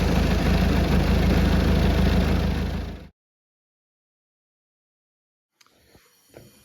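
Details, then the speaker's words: 2014 Citroen Berlingo 1.6 diesel after a crank/no-start fixed by replacing a blown 25 A fuse (12 A max draw): steady, even diesel thrum with a deep regular beat for about three seconds, then cuts out. Healthy idle. "but put in a fuse and here we are up and running."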